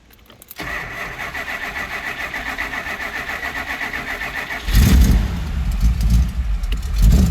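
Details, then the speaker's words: 1969 Chrysler Newport big block, new battery: cranks, catches and settles to a smooth, even, deep V8 burble through glass packs on one-year-old pipes; a normal healthy idle. "See, it idles nice and smooth. It's got glass packs underneath it."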